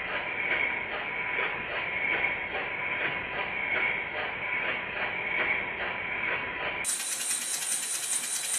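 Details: Rebuilt Stuart model steam engine after the reversed slide valve was corrected and retimed, turning slowly on low pressure. Light, slightly uneven clicking at just over one beat a second; running freely, normal.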